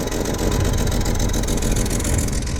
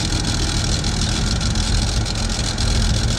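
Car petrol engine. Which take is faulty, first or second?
first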